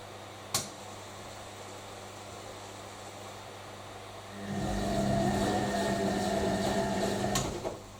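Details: Newly acquired washing machine on a wash filled with hot water, heater at 2.5 kW heating to 95 °C: a quiet hum, then even tumbling churn with a steady motor note and no knocks or scraping; a healthy wash.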